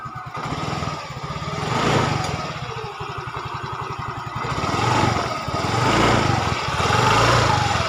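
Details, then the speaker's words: Yamaha Fino 125cc fuel-injected scooter after camshaft repair, no oil burning, piston and con rod fine: even, smooth idle with gentle rev rises and no coarse rattle. Now smooth. "Oke, suaranya udah mulus. Jadi yang kemarin masalah kasar jangan main ponis tang seher maupun yang lain, yang pasti pada intinya oli keadaan normal atau enggak makan oli, dan mesin bawah buat stang sehernya masih aman."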